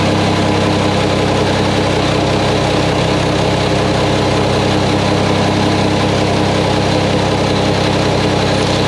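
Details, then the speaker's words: Mack truck diesel engine just reassembled, first start before road test; fluids checked, no leaks seen. Loud steady idle, even pulse about three beats per second, no knocks or misses; sounds good, normal idle. "well Bill she sounds good I don't see anything leaking I said we checked fluids one time and I'm gonna take her for a road test see what happens"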